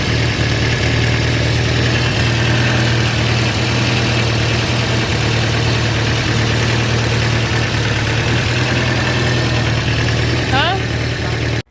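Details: Volvo 144S at steady idle after rebuilt HS6 SU carbs, valve lash and rough timing adjustment: loud, with a hard metal-on-metal knocking under the exhaust note, coming from the bottom end; source still unconfirmed.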